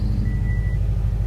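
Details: 2006 Subaru Forester XT after fuel pump replacement and priming, initial pump whine gone: smooth, even low idle hum with steady rhythm and no pump squeal or whine, fuel system healthy.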